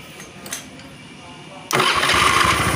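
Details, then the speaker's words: Honda Beat FI after repair of rough starter and slipping kick start: quiet lead-in, engine catches instantly and runs smoothly, no grinding or clunk; electric start normal. "dan mesinnya halus ya starternya halus di sini ulang lagi oke"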